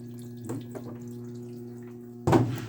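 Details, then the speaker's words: LG washing machine after repair of IE (water inlet) error: steady low hum with water running and splashing into the drum, filling faster than before; normal water fill, inlet hoses and filters must stay clear. "as you can see there we already have a little more water than it was at the beginning [Music] it won't take as long as it was taking"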